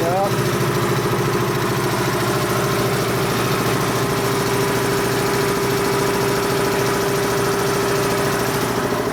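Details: Dayton 240V 7-1/2 hp shop air compressor after motor, reed and capacitor repair and pressure switch spring adjustment, cutting in around 130 psi: steady even pump drone with constant hum, no knocking or slipping, building pressure normally past 150-162 psi.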